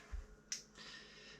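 A soft thump, then one sharp click as the motorcycle's auto-reset fuse trips on a short circuit.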